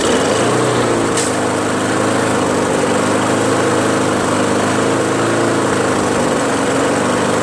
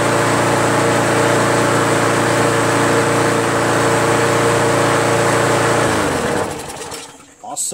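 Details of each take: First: Craftsman push mower, Briggs Quantum 4.75, governor linkage tension spring detached, carburetor suspected gummy: steady high-pitched drone well above normal speed, overspeeding until it dies; carb cleaning next. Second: Craftsman push mower, Briggs Quantum 4.75, after carb clean and new carb gasket and seat: steady even drone at correct speed, shut off after six seconds; previously sluggish with high rpm, now right; loose top cover rattles.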